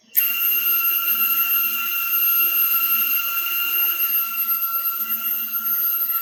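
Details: CNC Y slave-axis stepper motors taken off the chassis and run on their own: steady high whine with clean, even tones and no rubbing or scraping. They sound perfect compared with when mounted, ruling out the electronics. Normal stepper motor running.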